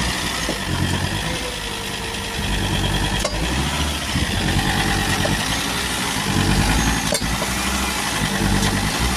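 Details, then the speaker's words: Volvo XC90 2.4 D5 diesel idling, shifted in and out of gear: two sharp knocks about four seconds apart, a clunk going out of gear present for two years; engine mount bolts found slightly loose, and tightening them stopped the clunk. "That bolt's loose. Let's tighten these bolts up and see what's going on. That's it, the clunking noise is gone. Well, it looks like these bolts here were just a little bit loose."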